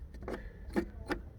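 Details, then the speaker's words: 1965 Admiral combo color television/stereo phonograph being revived: three sharp separate pops in under two seconds over a faint hiss from the speaker as controls are worked. Bad switches are suspected, not confirmed. "oh look at that i am hearing a pop from the speaker but"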